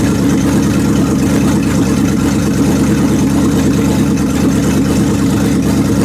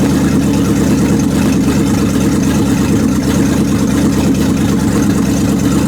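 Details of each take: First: 1929 Chrysler with 360 V8 and cleaned-up 727 TorqueFlite, shifter disconnected and put manually into reverse after topping up low fluid: steady deep V8 rumble loaded in reverse, wheels spinning; reverse engages normally, valve body suspected gummed. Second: 1929 Chrysler 360 with 727 Torqueflite, manually shifted into reverse after adding half a quart to low fluid, wheels spinning: steady, loud, low V8 drone with no misses; converter pulling, valve body suspected, shift fault unconfirmed.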